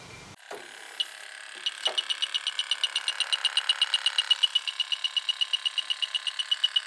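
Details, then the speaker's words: AC evaporator coil with a bad leak, later replaced, being probed with a leak detector: beeping speeds to a quick steady pulse at the coil, worse than the few hits at the condensing unit; refrigerant leak. "this sense is the refrigerant leak you know definitely got a leak up here not good"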